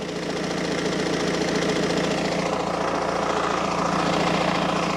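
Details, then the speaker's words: Car idling after a new fuel filter, heard from underneath: fast, uneven metallic rattle over the engine hum; exhaust sits very close to the undershield, owner suspects the downpipe flexi has failed or is failing. "the exhaust is so close to the undershield so i think the downpipe the flexi has either completely failed or it is on its way um you know to being completely failed"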